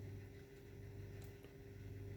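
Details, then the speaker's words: Brand-new WLtoys 124019 RC car front differential after fix: it was over-shimmed from the factory (shims too thick), regreased; now a steady even low hum, no clicks or binding, diff turns smoothly and freely. "Nice and smooth now. So the problem was the shims. It was over shimmed from the factory."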